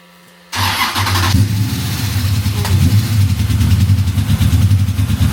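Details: Ultima GTR after fault traced to a belt: engine catches at once and settles into steady, even low rumble with no misses or stumbles; normal start and idle.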